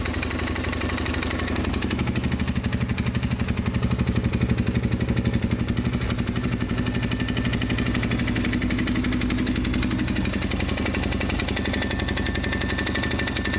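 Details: 2005 Honda 400EX single-cylinder idling about 10 hours after complete rebuild: steady, fairly even knock about four per second; owner suspects main bearings damaged by dirt past K&N filter, timing chain has some slack; unconfirmed.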